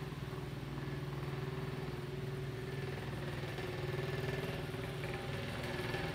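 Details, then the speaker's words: Antique Diehl table fan, about 100 years old, steel blades, oscillating on low speed: steady low motor hum with a fast, slightly uneven rattle, about four beats a second, from worn bearings. "And as you can hear, the bearings are a little worn on it. This fan's around 100 years old, so that's to be expected."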